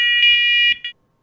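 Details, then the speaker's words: Wireless interconnected smoke/CO alarms tested by holding the test button after fitting batteries; both units flash green and sound loud, shrill pulsed tones together. Interconnected smoke alarms sounding together. "you'll see green flashing lights in the smoke indicator on both smoke alarms indicating that they are communicating with each other and both smoke alarms should start making noise"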